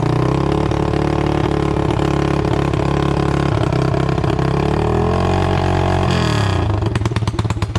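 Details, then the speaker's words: Yamaha TTR 225 after a rebuild, first start: loud single-cylinder thumping at fast idle, rising and falling with throttle blips, rattly edge, smoking; owner suspects oil burning off, chain also too long. "all right well it runs it's super loud"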